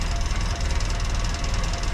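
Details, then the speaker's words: 1956 Land Rover Series 1 109 at idle after sealing exhaust flange with muffler cement, gasket alone didn't seal: even low idle thrum, no hiss or puffing at the joints; exhaust leak fixed, paper test passes. "So immediately I can hear that it's a lot quieter."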